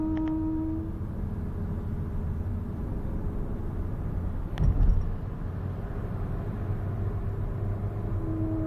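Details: Honda Civic 8th generation 1.8: low tonal hum from the left front wheel while rolling, appearing only after longer rides, fades out when the brakes are applied, then returns; cause unknown.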